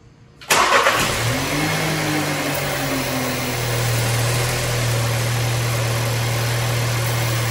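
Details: 2019 VW Jetta 1.4L at 70k miles, just after serpentine (accessory) belt replacement: short crank, catches cleanly and settles into a steady, even idle with no belt squeal or chirp; normal start and idle.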